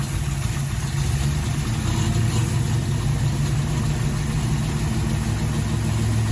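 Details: Mel's 1972 Chevrolet Camaro, 383 stroker with hydraulic flat-tappet cam, first running after sitting since 2011: lumpy V8 idle with a sharp puffing tick on each exhaust pulse; header flange leak blowing at the manifold.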